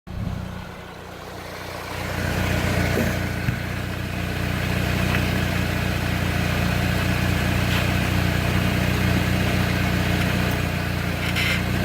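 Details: 2003 Saab 9-3 Arc front left brake: over steady engine hum, short bright scraping bursts about three times a second; cause unknown to owner.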